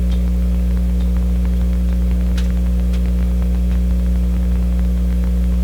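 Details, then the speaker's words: Sparton 1567 tube radio at first power-up on restricted power (about 95 volts): a loud, steady low mains hum from the amplifier with scattered irregular static crackles and pops; the tube rattles briefly, and the static's cause is unknown. "now you could hear that tube rattle briefly come in static I don't know what the static is"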